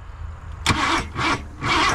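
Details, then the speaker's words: 1987 Ford F150 converted from EFI to carburetor with HEI distributor: uneven cranking with a few harsh, labouring catches that never settle into a run; ignition timing set too far advanced. "oh she's too far Advance let's back her off a little bit that fired a little bit he load up"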